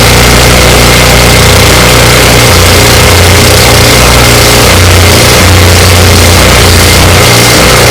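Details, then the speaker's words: Ariens 24-inch snow blower with 9.5 engine, long-sitting and previously missing badly, after Seafoam treatment, electric start: loud steady drone at even speed with no misses or stumbles; normal running. "and there you have it it runs"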